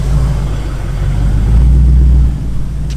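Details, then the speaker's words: LS V8 right after start: deep rumble with a fast, uneven puffing tick about three times a second, an exhaust leak. "you guys can hear that little exhaust leak maybe it's a big exhaust leak"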